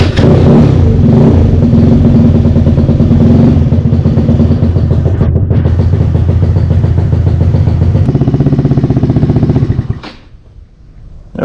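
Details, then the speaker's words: GY6 Maddog 150 scooter with 171cc big bore kit, exhaust refitted; strong even four-stroke beat for about ten seconds then clean shutdown, no misfires or knocks: normal running. "Alright, took it around the block. Check for things falling off and oil leaks, stuff like that. But everything seemed good. Runs really nice."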